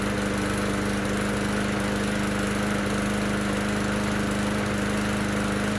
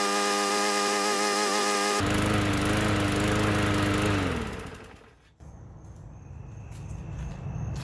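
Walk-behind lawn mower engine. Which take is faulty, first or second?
second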